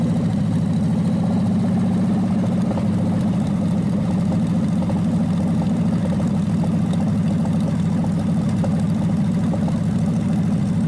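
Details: Packard 374 cu in V8, warmed up after oil burned off the hot exhaust manifold: steady deep idle with even firing, no knocks or misses; revs quick, sounds strong, suggesting little cylinder wear and good compression.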